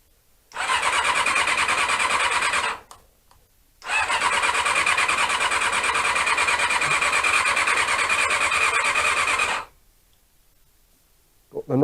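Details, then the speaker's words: Honda CB-1 (NC27) sat unused a couple of months, fed from a remote fuel tank: two long bursts of fast, even starter whirring, about three turns a second, no catch. Cranks but won't start; owner suspects the carbs need cleaning. "problem that you always get with these bikes when you leave them for too long so i guess i will be cleaning out the carbs again"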